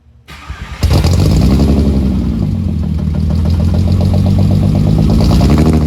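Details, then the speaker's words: Rebuilt VR6 just installed after a crank, rods and pistons replacement, cold start recorded at the exhaust without coolant: short crank, then a lumpy, uneven idle with stumbles. Cause of the misfire unknown; the owner suspects a disconnected wire. "I've got to trace down that misfire. I don't know what that is or why that is. Maybe there's a wire disconnected somewhere."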